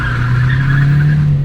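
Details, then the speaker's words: 2014 Ford Escape power-braking with traction control off: strong steady deep drone with tire squeal, boost building cleanly with no leak hiss; normal turbo boost under load. "it's building boosts there"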